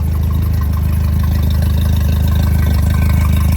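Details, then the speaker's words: Mercury 60 hp CT outboard with 150 hours idles smoothly and evenly, purring with no misfires or knocks, after a fuel-delivery fault was fixed by cleaning the filters in the fuel pump; old gas suspected as the cause. "This thing's badass. Just purring like a kitten."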